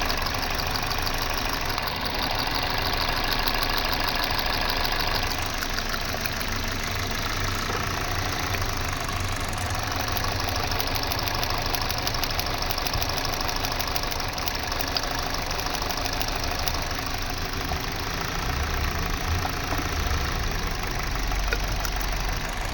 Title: How to Diagnose Engine Misfire #kia #hyundai #shorts #automobile #shortvideo